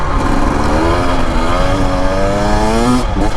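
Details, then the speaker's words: 2025 Husqvarna TE250 two-stroke enduro on desert trail, in third gear; smoothly rising pitch, no stumble; the hiccup felt in first and second gear clears up in third; clean acceleration. "See, that's third gear. It's nice and clean in third."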